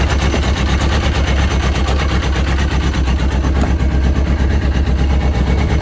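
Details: Yamaha RX1 1000cc four-stroke snowmobile, sat six years, after ultrasonic carb cleaning and coolant added, warming up: deep even rumble with steady pulse, no knocks or misfires, healthy.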